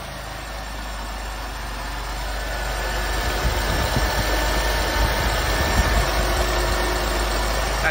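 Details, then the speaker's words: 1986 Oldsmobile 98 Regency Brougham, just after injectors were changed with cleaner in them and a new fuel filter fitted: low, steady, even idle, no ticking or timing chain noise; it used to sputter once warm. Normal idle. "definitely no timing chain noise in this motor i think as quiet as can be"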